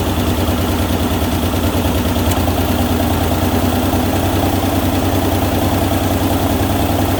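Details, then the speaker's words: Ford Ranger XLT running after final reassembly of manual transmission, shifter bushing and clutch work: even idle with a raspy puffing pulse about three times a second; sounds like an exhaust leak, unconfirmed. "just running maybe sounds like it's got an exhaust leak though"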